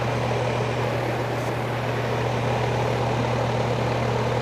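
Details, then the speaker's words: Air conditioner no-cooling call: the condenser fan runs with a steady whoosh and a low electrical hum while the compressor tries but fails to start, pointing to a failed capacitor. "Oh. I think I just heard the compressor try to come on. That's good. This might be a simple capacitor today. Usually when you hear the humming like that, and the fan running, it just sounds like compressor's trying to run,"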